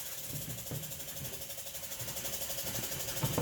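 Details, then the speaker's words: 1949 table saw after rebuild, screws cleaned, pivots oiled, pulley repaired: light, even ticking and whirring of the lift gears as the blade height crank turns, no catches or binding; lift runs smoothly. "and once again that's all working smoothly no hitches in it the lift is working properly and smoothly"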